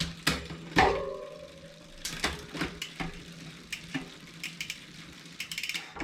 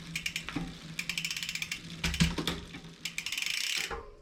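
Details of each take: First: 2020 Specialized Fuse 27.5+ with a Shimano Deore Shadow Plus 10-speed rear derailleur, after backing off the H limit screw: crisp, isolated clicks as the chain drops onto each cog, with no chatter or rubbing. Shifting is now properly adjusted. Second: 2020 Specialized Fuse 27.5+ with a Shimano Deore Shadow Plus 10-speed rear derailleur: the H limit screw is overtightened, so the chain rubs the next cog with bursts of metallic ticking and clatter when shifting.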